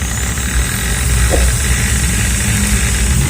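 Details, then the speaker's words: Maktec MT60 electric drill: steady motor whine over a coarse, rough rattling growl from the front gear area at full speed, caused by burred, chattering gear teeth in the gearbox. "OK, let me test it first, the drilling machine in the middle makes a sound like this, which is really great, the right side cracks, the left one is also the same."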